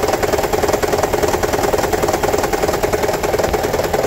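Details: 2009 Toyota Prius 1.5 hybrid, engine light on, code P0304; rough uneven rattling idle with fast irregular chatter; cylinder 4 misfire from a shorted spark plug, also low compression; fixed by replacing spark plugs.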